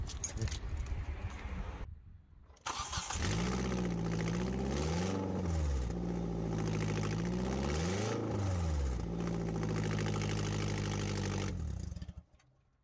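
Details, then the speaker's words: 2005 Hyundai Tucson GL 2WD with all but one exhaust manifold bolt removed, manifold loose: idle and revs with rough, raspy puffing climbing with rpm; exhaust manifold leak. "this is what a bad exhaust manifold well this should be what a bad exhaust manifolds leak sounds like"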